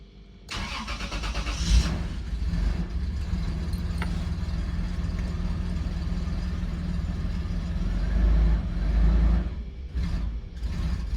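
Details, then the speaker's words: 2002 Toyota 4Runner with start-stall complaint: engine cranks, catches, then runs rough with uneven lumpy idle from multiple cylinder misfires. "Oh yeah, it's definitely running rough. It's not liking something."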